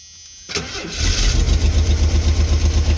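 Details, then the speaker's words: 1990 Ford Econoline van six-cylinder, parked, after getting good fuel pressure: brief crank, catches and settles into lumpy idle pulsing about four times a second, not running on all six; starts and runs, needs tune-up. "it's running it's running it's actually running not running in all six but it's running some don't sound [Music] happy"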